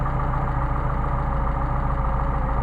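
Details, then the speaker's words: Mercedes 190SL with rebuilt Solex carbs: slightly uneven lumpy idle as each carb's mixture screw is turned too far and it starts to bog, showing a very narrow correct adjustment band. "too much that sounds good same thing over here it's too much starting to back off starting to fog down so you can see the very very narrow band in which to operate very narrow"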